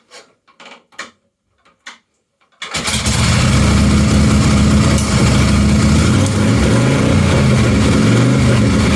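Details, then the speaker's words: 1953 Harley-Davidson generator shovelhead bobber V-twin (customised Duo-Glide), totally cold after sitting: a few kicks, then it catches and settles into a quick, loping cold idle of about four beats a second, running evenly. "now it's going to start idling quite quick and then i will try and slow it down for you so you can hear what it's where it's running like obviously it's really cold so normally i'd run it at higher revs for a bit before it gets going"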